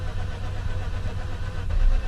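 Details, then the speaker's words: Mazda RX8 rotary project, long unstarted and bought cheap as possibly needing an engine, plugs likely fouled: low, uneven chugging that almost catches but never settles; owner suspects fouled plugs, not confirmed. "goes it's trying this thing starts I'm gonna be happy"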